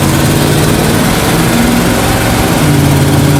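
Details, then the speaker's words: 1979 Dodge 100 truck, still cold, at full throttle after a choke fix: steady, rising roar with no stumble, bog or stall. Runs healthy. "So it's still cold. Let's see how it does at full throttle."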